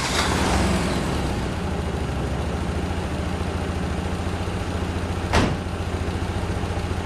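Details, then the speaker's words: Saab 900 Classic with a rebuilt Zenith/Stromberg CD175 carburetor, two or three days after its first start following years of sitting: low, lumpy idle with an irregular stumbling beat. It is still not running properly, and the owner earlier suspected the timing. "during the past few days i have been thinking non-stop as to what the issue might be why this car isn't running as it is supposed to first i'll show you again what this engine does"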